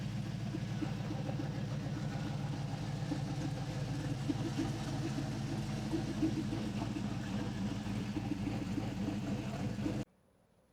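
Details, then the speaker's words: 2007 GMC Sierra Classic with LS V8 swap replacing V6, after replacing faulty throttle body: smooth even V8 rumble while driving easy on a data-log run, no misses, ticks or knocks, no engine lights; running healthy. "We got it up and running. Uh the new throttle body seemed to do the trick."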